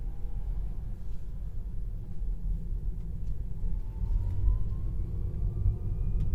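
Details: Tesla Model 3 LR AWD Performance, AC and music off: faint tone near 1 kHz rising with road speed over tyre rumble when accelerating and regen decelerating, same in sport and chill; new since purchase, cause unknown.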